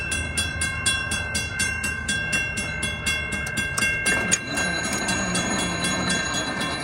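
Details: Model 3590 railroad crossing gate mechanism after readjusting a screw: even bell ringing about four strokes a second, then a firm clunk as the arm seats and stays put; gate working properly.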